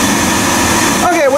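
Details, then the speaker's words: Biasi B-10 boiler with Riello oil burner after fuel line bleeding, burner cover still off (louder): steady roaring rush with even fan hum, no puffing or stutter; burner lit and running normally. "I'm just going to slip the burner cover back on, which will quiet this down a lot."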